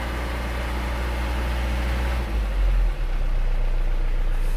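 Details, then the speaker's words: Diesel engine just started after an engine teardown/rebuild: steady, even idle with a soft regular beat that settles after a brief blip; smooth and healthy like a new engine. "mesin sudah hidup suaranya empuk halus seperti mesin baru kira2 spek mantap kolaborasi berhasil"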